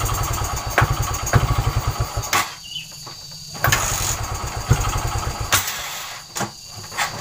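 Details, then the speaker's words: Kick-start trail motorcycle that runs fine cold but loses ignition when hot after about 16–17 minutes: repeated kicks, engine catches a second or two then dies each time; hot stalling blamed on a weak pulser coil. "nah seperti itu dulur jika panas motornya akan mati dan ini benar-benar Real ini sudah berapa menit ini sudah 16 menit hampir 17 menit motor ini baru mati"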